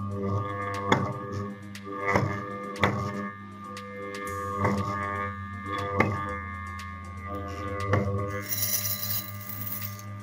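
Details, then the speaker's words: Armature on a test device with a saw blade held over the slots: a steady electrical hum with buzzing blade vibration over a slot, indicating damaged coil winding in that slot. "il y a une vibration qui signifie des dommages dans l'enroulement de la bobine"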